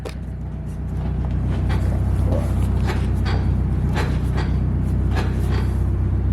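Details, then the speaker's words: 240 just running and driving again, with poor brakes and alignment, heard while driving: irregular sharp clunks about once a second over road rumble, with faint squeaks from the rear. Rear suspension squeak and clunk, cause unknown. "There's a lot of squeaking in the rear, and there's a lot of clunking in the rear. It feels like the subframe is gonna fall out."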